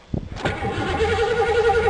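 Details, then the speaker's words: 1982 Ford Granada, battery fitted: starter spins to a steady whirring crank, but there is no fuel pump hum beforehand and the engine never catches; crank no-start, fuel pump suspected dead. "so let's see if that fuel pump kicks over thanks to high hell in this car no mice and gotten into it finally I'm long enough well I don't hear the fuel pump running"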